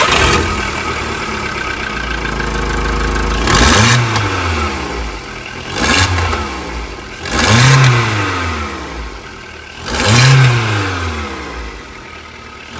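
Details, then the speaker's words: Skoda Rapid 1.6 16V CFNA, 105 hp, bought used, cold-start test with blips; harsh, loud exhaust roar swelling on each rev, masking a knock the owner complains of; loud exhaust from cracked exhaust manifold, a known weakness. "Он говорит, какой-то громкий выхлоп стал. Ну, тут известная болячка."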